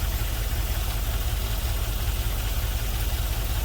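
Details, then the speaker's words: LS-swapped GMC Vandura, first start after ECU flash: V8 idles with a lopsided, lumpy beat, roughly two stumbles a second, running on five cylinders; a couple of injectors not firing; misfire. "Looks like a couple of the injectors aren't firing."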